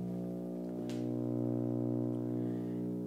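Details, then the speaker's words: Bang & Olufsen receiver: steady low, gritty hum of even pitch, heard when the record is stopped and the volume is turned up. Occurs on the phono input; much less on CD and tape. Owner suspects AC mains hum. "does anybody recognize that hum what the hell is it how do I fix it basically I want to know what's happening here it only happens on the pho Channel"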